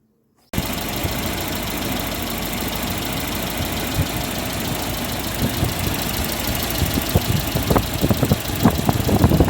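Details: 1995 Volvo 940 after water pump repair, original thermal-clutch fan refitted and coolant refilled, first test run: engine starts and holds a steady, even idle with some handling noise near the end; no knock or misfire, running normally.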